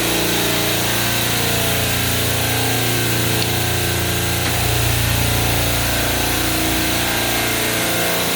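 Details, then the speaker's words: Hill Phoenix refrigeration compressor rack after 3-phase contactor replacement, compressors restarted after oil-failure resets: a steady, even hum from several compressors with a constant airy rush, no knocking or chatter, as pressure builds. Normal compressor rack operation. "You hear how it's starting up. You can kind of see the pressure starting to build, capacity starting to hit up."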